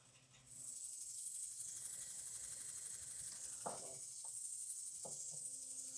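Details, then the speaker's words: 1962 Dodge Lancer wagon, sat in a barn over 20 years, mechanical pump bypassed with an electric pump drawing from the old tank: steady high hissing trill as the pump primes the fuel system normally before start. "Let's prime the whole system, hopefully. Every once in a while we have a problem there, which we may have still with that one. There it comes, I can hear"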